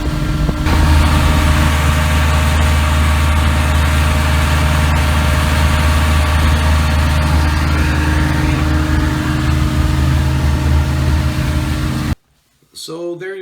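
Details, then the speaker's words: 33 HP Evinrude Ski Twin outboard after carburetor adjustment, high-speed needle 3/4 turn and low-speed 1.5 turns out: steady, even low drone holding one pitch, no misses or surging; running clean at high speed. "So there you go, folks. Now you can hear what it was running like after I did the adjustments. Quite happy with the results."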